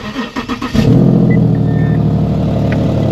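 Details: 2015 Infiniti Q70L 3.7 AWD after major tune-up: brief cranking under a second, then fires to a smooth steady idle with no misfire; an exhaust leak is noted afterward.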